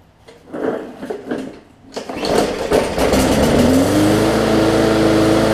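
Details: Bolens push mower with Briggs & Stratton engine, no-start from bad fuel/reassembly; after refitting carburetor (carb gasket air-fuel leak suspected): a few pulls, then catches, revs up and settles into a steady even run with no misses.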